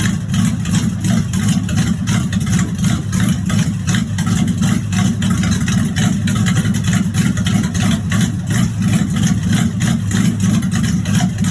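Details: 1986 Chevrolet Monte Carlo SS V8 at idle, running about 3–4 minutes, with a steady, fairly loose knock at roughly three per second. Driven about three days with a bottom-end knock. Rod knock.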